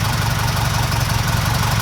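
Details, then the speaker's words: 1969 Ford Capri with a Pinto engine after new camshaft finger followers were fitted: steady, even low idle with the earlier top-end ticking gone; the valve train is quiet and the engine runs silky smooth. "I'm well chuffed about this guys. This sounds silky smooth."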